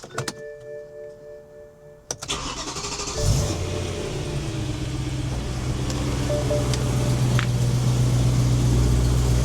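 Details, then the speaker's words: BMW E90 M3 V8, 6-speed manual, start after checking and snugging X-pipe and exhaust bolts that had rattled loose: brief crank, catches and settles to a steady even idle with no ticking or puffing; no exhaust leaks, normal. "No exhaust leaks. All right, we're in action."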